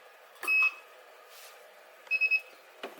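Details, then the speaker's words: Spot welder test welds on a dead 18650 cell, two electrodes pressed on with about 100 grams: two sharp high beeps, each with a short snap of the weld, as it fires and recharges. Normal spot weld beeps. "there's a dead battery dead 18 650 will pop the two electrodes on top here press down but not very hard just with maybe 100 grams"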